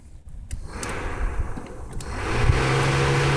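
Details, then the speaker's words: 1993 Honda Civic radiator cooling fan wired straight to the battery: after a click it spins up to an even, steady hum with no rubbing or rattle. Fan motor works, so the fault lies elsewhere (relay, fan switch, thermostat). "you can hear the fan is working perfectly fine the cooling fan"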